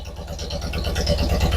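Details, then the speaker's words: Twin-cylinder engine idling: lopsided uneven low thump, running on about 1.5 cylinders; no suction through the carburetor, and one cylinder had lower compression; dead cylinder suspected. "Well, it sounds like it's running on 1.5 cylinders again."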